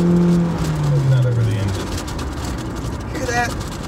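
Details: Car driving with the back window blown out and covered by a painter's tarp held with Gorilla tape: steady low roar and buffeting over road noise as wind gets in around the covered rear window; cause suspected, not confirmed.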